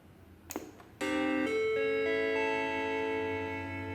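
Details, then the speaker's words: 1989 Macintosh IIcx with intermittent power-on fault, powered up during repair after reassembly with floppy drive carrier refitted: instead of the usual single chime a run of clear ringing musical notes plays; unexpected abnormal startup sound, cause unknown. "that was unexpected it's not the Chairman was expecting soon they played some sort of music"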